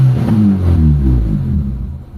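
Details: Mitsubishi Lancer that previously wouldn't rev under throttle; original MAP sensor reinstalled to confirm it's good, fault was the distributor; after fix engine revs up cleanly and returns smoothly without hesitation.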